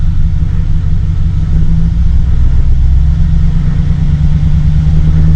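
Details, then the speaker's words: 2008 GMC Sierra V8 with P0300 code, check engine light comes on after running a while: deep steady idle with uneven lumpy beat and occasional soft stumbles, skipping on a cylinder; random misfire at idle, fuel pressure to be checked next. "it's skipping it's missing on a cylinder and there we go"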